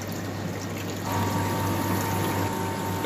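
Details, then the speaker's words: Ice machine restarted after cleaning and servicing: steady low hum with water swishing, compressor kicking in after a couple of seconds; running and circulating normally, temperature dropping. "depending on your model you might have to wait a couple of seconds for the compressor to kick in"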